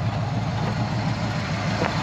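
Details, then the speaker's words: 1970 GMC 1500 with a 350 V8, headers, two-barrel carburetor and small unmuffled mufflers right off the headers, which doesn't run hot: a low, steady, smooth burble with no ticking or knocking. Normal idle. "sounds good though the engine runs nice and smooth just sits there and prayers all day long no chicks no knots none of that stuff that is a good running good sounding engine"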